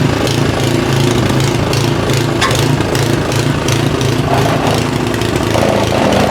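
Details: Simplicity SS922E single-stage snowblower, serviced days before, running outdoors about 50° colder than the garage where it ran fine: small engine mildly surging at idle; owner suspects the carburetor needs more cleaning.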